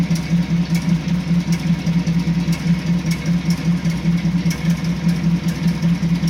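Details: 1986 Chevy C10 with a recurring problem: a low, lumpy idle pulsing about once a second with occasional ticks. The owner suspects a misfire; cause unconfirmed.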